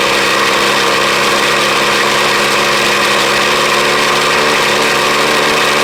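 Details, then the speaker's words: 1983 Ford Ranger cold start in snow, run with air cleaner removed: steady, even idle without stumbles or knocks, normal warm-up; owner says it starts reliably since the air cleaner came off. "no my starts right up i never have any issues out of it not ever starting except for when i first got it"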